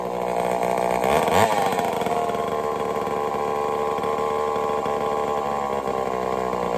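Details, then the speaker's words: Homelite Super XL-923 82cc chainsaw test-fired after tuning: sharp blip up to a high, steady two-stroke scream with no bogging. Slightly rich on the low-speed circuit, very loud, snappy; running normally. "Not bad at all. She tuned right up pretty easy. Got a little rich on the low speed, but I'm very surprised. She's loud though. Holy cow, she loud. Good and snappy."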